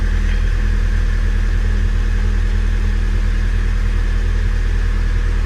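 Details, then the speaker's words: Mk5 VW Golf GTI petrol engine at idle, lumpy uneven beat from a misfire on cylinder 3; a garage had suspected a split piston or ring, but compression and borescope tests suggest it is not mechanical. "right let's see how we get on definitely misfiring"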